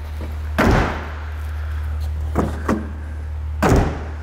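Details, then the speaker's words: 2005 Honda Element door after tightening loose latch screws with blue threadlocker: firm deep thuds, no rattle; latch closes solid and tight, door moves less. "this side moves even less than the other side but it sounds way more solid and i'm happy not to have loose screws on that latch anymore"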